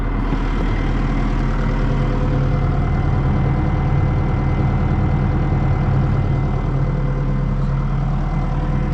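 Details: Heavy diesel machine (160) at idle after clogged filters were suspected and addressed: steady, low running with no whine rising over it; the hydraulic pumps sound quiet and even, and sight glass levels suggest more oil flow.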